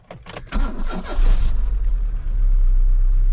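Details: 1992 Cavalier Diplomat after a newly self-fitted crank sensor and battery reconnection. Brief, sluggish cranking bursts, then it catches into a steady low idle; the starter sounds a little weak, and the earlier hard start is possibly crank-sensor related.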